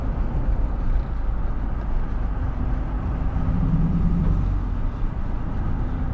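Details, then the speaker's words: 2008 Suburban on its first test drive with a new engine: deep, coarse tractor-like rumble under load plus an unidentified squeal; an exhaust leak is suspected, unconfirmed. "it almost sounds like there's a like a like an exhaust leak you know that tractor sound"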